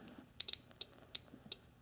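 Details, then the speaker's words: Rear defroster relay bench-tested with battery pack and jumper wires: crisp sharp clicks, about seven in two seconds, relay pulling in properly; click is a good sign but not foolproof, continuity then checked with multimeter. "a very good sign but it's not foolproof let's make sure that the circuit is completing"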